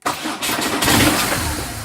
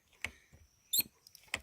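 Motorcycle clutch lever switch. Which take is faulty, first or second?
second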